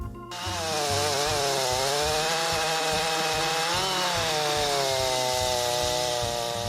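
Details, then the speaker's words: Chainsaw cutting konara oak hardwood with over-filed depth gauges: the saw note wavers and dips under load while a coarse low rattle shudders through the cut; heavy vibration, and it barely cuts. "こんな感じでですね、ガタガタガタっと振動が大きくなってしまってなかなか切れないということになります。"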